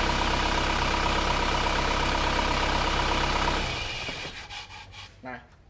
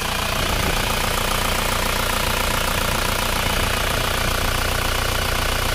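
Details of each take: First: Isuzu Panther diesel after PCV valve spring was cut (non-original spring too stiff): engine shut off cleanly, runs down to quiet with no lingering crankcase hiss; crankcase pressure now venting properly. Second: Isuzu Panther diesel, cold just after start, idling with a rough breathy chuff under the clatter; clogged PCV valve in the valve cover pressurises the crankcase, dipstick hisses when fitted, hiss stops when pulled, smoke coming out.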